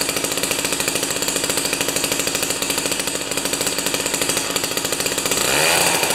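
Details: Jiffy 30 2-stroke 3HP ice auger after carburetor work, J19LM plug instead of J17LM: fast crisp buzz holding steady, brief pickup near end, after mixture turned out from lean setting; runs cleanly.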